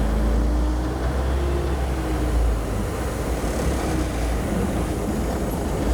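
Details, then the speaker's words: Old truck with huge engine and 7-speed shifter, showing 33,000 miles (possibly a million), air brake valve leaking: deep low rumble holding an even idle with no knocks or misses, normal idle. "sorry for all the bouncing and shaking guys it's a huge engine"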